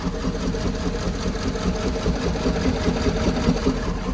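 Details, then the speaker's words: Truck being readied for hotshot hauling in cold winter weather. At idle it runs rough and lumpy with an uneven beat of about two and a half per second; one cylinder is dead and misfiring. "can you hear this thing it's got a dead dead miss hear it"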